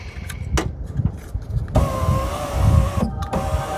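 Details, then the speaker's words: Ram ProMaster van after window regulator replacement: clean, even motor whine about a second and a half, short pause, then runs again smoothly; one-touch down works, window operates normally. "Oh, one touch down is already working. It actually touches at the bottom."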